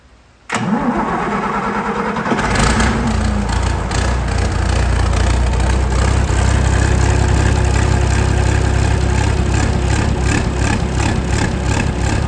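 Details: Tractor diesel engine started for a washer balance test on the rocker cover, then revved and at tick over: short crank, catches into an even rumble with no knocks or misses; smooth, well-balanced running.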